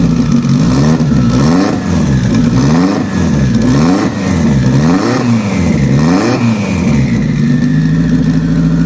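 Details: Sequential-transmission car restarted after reinstalling the injectors, one of them treated with penetrant lube to keep it free: repeated throttle blips rise and fall cleanly with no stumble, running evenly on all four cylinders.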